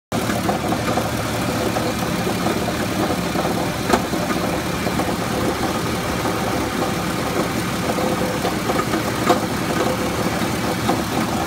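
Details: Jeep XJ 4.0 inline six idling steadily: dense busy rattle over the low hum, source unknown; flex plate checked, tight and seemingly not cracked.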